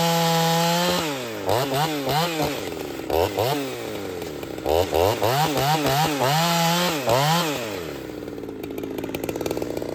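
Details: Ported Husqvarna 61 chainsaw with aftermarket 268 top end and crank swap, not yet broken in, cutting firewood: it screams up clean, holds strong in the cut and drops back to a steady idle. It is healthy.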